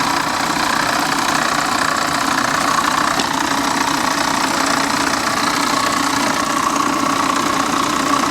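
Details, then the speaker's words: Corvette convertible at salvage auction, A/C belt and pulleys removed: steady idle with a light regular ticking knock about three per second under the hood; source not pinned down, suspected accessory or water pump, not confirmed. "i do hear a little noise under the uh hood here i'm wondering if that could be just an accessory what do you guys think i don't know man that sounds uh that sounds a little sketchy but she did fire right up on her own gotta give her that"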